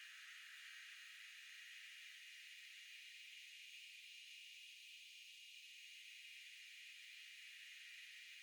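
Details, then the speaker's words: Steady, even high hiss with no low hum or pulsing from the back of the refrigerator (condenser area) during a compressor cooling run, high-frequency filter on. The fridge is on its recommended setting but food was freezing. The owner suspects overexertion from the breaker box; cause unknown. "But this is the noise in the back of the fridge, and I'll turn on the high frequency filter so you can pick apart that from your fan and other background noise a little better."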